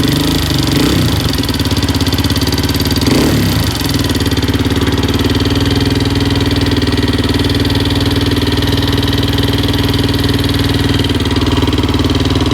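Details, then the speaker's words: 2004/2005 Suzuki LTZ 400 single at idle after timing chain tightened; failed valve guide job by another shop: busy irregular ticking chatter, strongest up front on exhaust. "chatter so I may take the tank back off and uh go back in and check the shims out one more time"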